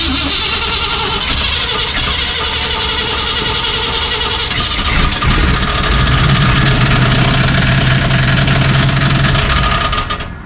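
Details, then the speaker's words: 1973 Chevy K5 Cheyenne Blazer, cold engine idling in neutral, clutch not pressed: rough idle, then a steady low droning hum rises underneath; something in the clutch, pressure plate or transmission is wrong, cause unconfirmed. "Something's wrong. That trans has to come out one way or another. Just didn't want to hear that. No, he didn't want to hear that. I don't know what that is. It's something in the drivetrain."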